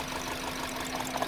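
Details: 2009 Honda Civic 1.8 16v at idle, arrived lacking power with engine noise and high fuel use: uneven beat with occasional stumbles as one cylinder drops out; coil and plug swaps ruled out, injector suspected.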